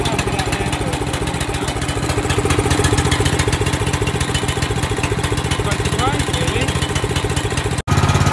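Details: Wacker plate compactor, small single-cylinder engine, after repair (new switch, oil topped up, spark restored) following a no-start, no-turn-over fault; thumps along steadily and evenly with no misfires or surging; running properly.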